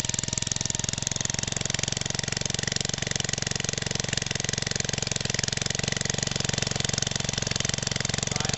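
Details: Old 1969 small engine of about 1.5–2 horsepower, magneto ignition, revived after sitting for ages: steady, even rapid firing beat at constant speed with no misses or surging; running healthily.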